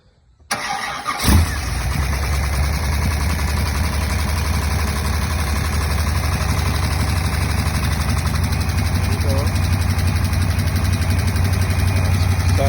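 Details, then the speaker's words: Buick Nailhead V8, first start after the original rocker shaft assembly was replaced with a new set and lifter preload set to .040: cranks, catches quickly and settles into a smooth idle with far less clatter. Some knocking is still noted on the passenger side. Normal start and idle. "good. Way better than it did. Way better."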